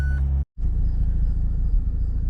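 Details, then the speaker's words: 2004 Mazda RX8 rotary after years sitting, new coils, plugs, wires, starter, fluid flushes; warmed up with coolant at 91, idle about 830–840 rpm; deep smooth even rumble, normal warm idle. "coolant sitting at 91. idle at about 8 30 8 140 RPM temperature is where it always sits"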